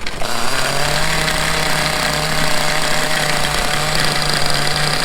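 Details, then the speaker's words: Vintage 1/5-scale Victory Hawk nitro RC motorcycle, first start in 10 years, rotostarter with a switched glow plug, bike upside down on a stand with horizontal engine; catches first try, then a high, steady, even buzzing rev, running cleanly. "After 10 years, it worked at the first try."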